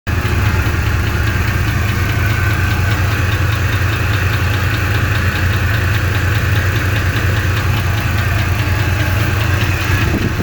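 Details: 1993 GMC 1500 pickup idling: a deep rumble with a light, fairly regular knock or tap running under it; the cause is unknown.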